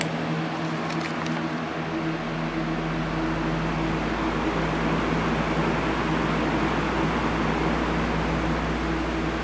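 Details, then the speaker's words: Cheap electric fan reassembled after cleaning and repair: even steady air whoosh with constant low motor hum, no creaking noises as before; much improved though not perfect, one base screw still missing. "Oh yeah, that's definitely a lot better than it was. Is it perfect? No."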